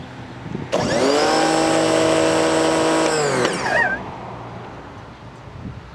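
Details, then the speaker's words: New Campbell-Hausfeld PW1835 1800 PSI electric pressure washer with a universal motor, first run: motor spins up to a high steady whine for about three seconds, then winds down cleanly; normal running. "And it indeed has a universal motor, which sounds like shit. Not at all as cool as the old one, but it looks like it works."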